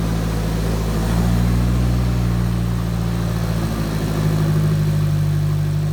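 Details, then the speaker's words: Nissan S13 with a $400 secondhand engine back running, clutch fan not fitted so it sounds like a tractor: steady, even, deep loud drone with no knocks or misses; healthy-sounding engine. "Still haven't got the clutch fan on. So it sounds like a tractor."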